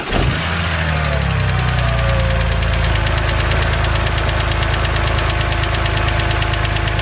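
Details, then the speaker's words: BMW 130i with N52 engine, bonnet open, fired up to idle: fast, light ticking over the steady hum from the hydraulic lifters at the top of the engine, the infamous N52 tick; said not harmful. "so as you guys heard that is the infamous BMW n52 ticking noise now I just want to say that this noise is not harmful to your engine in any way"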